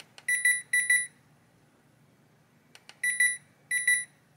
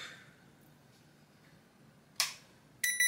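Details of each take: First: Hisense air conditioner indoor unit board on the bench, powered on: clean high-pitched chirps in short clusters, a pause, then two more clusters as it shuts itself off, traced to missing fan motor feedback. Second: Hisense air conditioner indoor unit board with fan feedback cable reconnected, switching to cold mode: quiet room, then two short sharp high beeps about half a second apart; command accepted normally.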